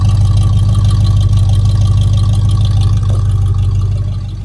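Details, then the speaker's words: Chevy C10 rebuilt 350 V8, warmed up in the shop: deep steady rumble, even slightly lumpy beat, no knocks or misses; strong healthy idle. "But I'm telling you, this little 350 got some oomph behind it."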